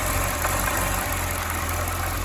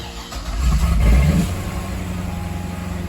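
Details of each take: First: 2010 Corvette ZR1 supercharged V8 at first startup after damage: idles slightly unevenly with a small stumble. Rough idle is blamed on unmetered air, since the sensor and throttle body are open. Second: 2010 Corvette ZR1 (640 hp) rebuild after installing a new airflow part: revs at startup, then a low, even idle of about 700 rpm without the earlier back-and-forth surging; normal idle.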